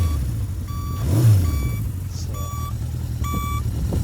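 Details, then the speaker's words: 1975 Honda CB550 Four, 9786 miles, original turn signal beeper, flash rate rises with revs: clear high beep about every half second over soft idle; signal beeper cycling normally. "so when you hit your turn signals you get to listen to that the whole time and the more you Rev your bike The Flash or the the faster the turn signals would"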